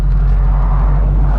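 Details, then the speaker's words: 1980 Pontiac Firebird Trans Am, replacement 170 hp cast-iron V8, idle checked after the swap: deep, even, quiet low rumble with steady exhaust pulses and no misses; a smooth idle you can live with, healthy. "It's quiet, but it sounds good. Like you can live with it. You can live with this idle. You really can."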